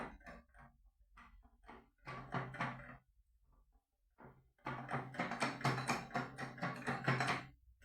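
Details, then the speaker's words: Scrap Vauxhall Vivaro M9R diesel engine, block split at the front: uneven clusters of heavy metallic clunks with delayed action as the crank is turned by hand with mole grips; crankshaft and big-end bearing failure. "Yeah, there's definitely some delayed action in there. Normally, you don't put mold grips on the end of a crankshaft, but uh in this case, I don't think this crankshaft's going anywhere again."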